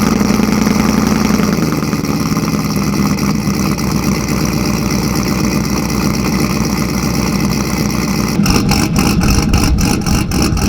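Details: Cammed 5.3 Silverado, cold start after sitting a while, with a fuel pump and O2 sensors replaced to fix a lean condition: a loud, lumpy, choppy idle with a steady lope and deep exhaust rumble, running smoothly without faults.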